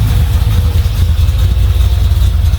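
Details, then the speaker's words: Chev 350 small-block V8 in a Toyota Landcruiser HJ75 Troopy, at idle while warming up, after a lifted rocker stud and new roller rockers while chasing a tick. Coolant had leaked into the oil, which was drained. Deep, steady, even burble with no top-end ticking; sounds healthy. "test the next thing that could be wrong but at the moment that sounds pretty good"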